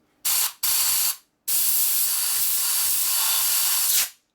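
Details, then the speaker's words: Carburetor choke circuit on a 2001 Gilroy Indian Chief race bike rebuild, blown through with compressed air after being cleared with a bigger nozzle: a long, full hiss replaces the low-volume flow; the passage is now clear. "lot better. More volume. That's a choke circuit. Okay, that sound a lot better once I open it up."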